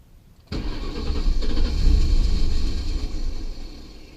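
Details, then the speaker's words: Ford Crown Victoria, cold start, codes P1235, P0511, P0403, P0201–P0208; first wouldn't start, then stalled, now starts hard: long cranking churn about three per second, swells briefly as if catching, then dies. Cause unknown, fuel pump heard running. "like it first it didn't want to start at all and then after it's doing that stalling thing eventually started up and then it continued to start off like just kind of hard"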